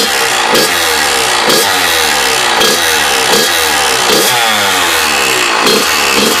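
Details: Freshly rebuilt Kawasaki KX100 two-stroke with revs rising and falling in repeated bursts and an odd rattly edge on each blip; abnormal engine noise, and the owner suspects the power valve, not confirmed.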